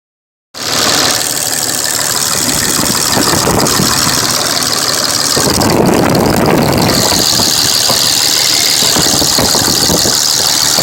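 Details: 2005 Dodge Ram Cummins diesel at idle: loud, loose, uneven clatter with a lumpy beat from a cracked injector misfiring and leaking fuel into the oil, blowing white and black smoke.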